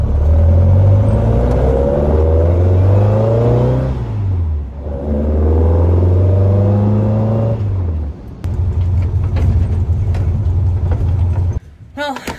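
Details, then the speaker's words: Car after its carburetor's clogged idle jet was cleaned, misfire gone and exhaust ports heating evenly; on a test drive the engine pulls cleanly through each gear, pitch rising and falling smoothly with no stumble or miss. "I must say that's awesome it runs so much better"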